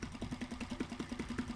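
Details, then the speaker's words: Mariner 3.5 HP four-stroke outboard after oil, spark plug and impeller service, running in a water bucket: regular putter, no missing, doesn't stall, no problem. "Pero bien, bien, perfecto, Però bé, sense problema. sin problema."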